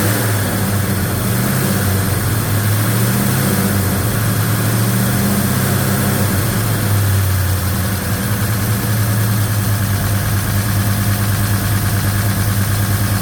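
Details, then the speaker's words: Newly built Chevy 307 V8 with a Holley 4150 Double Pumper in a 1956 Chevy Bel Air, restart during break-in, valve covers fitted: fast warm-up idle with busy ticking valve-train clatter over the rumble; timing also too advanced, cause not pinned down. "That valve train is still noisy for my liking."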